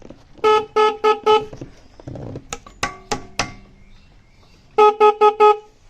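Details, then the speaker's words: 1996 Yamaha Royal Star Tour Classic garage find: two sets of four short honks, each thin and strained instead of a full blast; the horn is weak and nearly dead. "Yeah, horn's dead. That's not what it's supposed to sound like."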